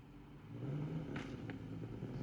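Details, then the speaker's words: Ford Capri Ghia barn find, first road run and first time under load in about 20 years: labouring low rumble broken by sharp irregular pops and bangs; not running right, cause not identified. "can hear it banging and popping there. It's It wasn't It definitely wasn't running right."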